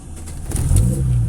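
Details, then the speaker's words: Kadett GSI alcohol engine on Megasquirt MS2, deliberately fuelled with adulterated ethanol causing lean mixture: hard to catch, sputters and shakes to a low uneven idle held up only by idle actuator against 950 rpm target; lean misfire. "Vocês podem ver que já foi difícil dele pegar. Para começo de conversa, ó, ele está falhando bastante, ele está tremendo."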